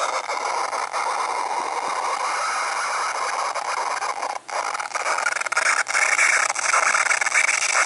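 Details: MacBook Pro right speaker, speakers muted: a steady, harsh, high-pitched screech with a hissy edge and small dropouts; unexplained screeching noise.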